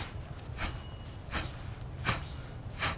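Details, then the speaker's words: Honda Civic LX coupe rear hub spun by hand, unloaded: dry, gritty rasp swelling about once per turn with no play felt; on the road test it howled like an airplane under load, so the rear wheel bearing is bad. "it doesn't have play but you can you can hear the noise now"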